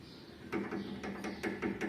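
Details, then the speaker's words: 2014/2015 Honda Civic (9th gen): the passenger-side front shock, original and worn out, is worked by hand and gives hollow clunks about every quarter second as it knocks at the rod; it is nearly without damping. "o barulho era não amortecedor certo esse amortecedor do lado do passageiro e tava batendo na haste"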